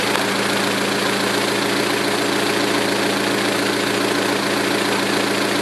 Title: Lifter tick with GMR cams and stock lifters 2006 Saturn ION Redline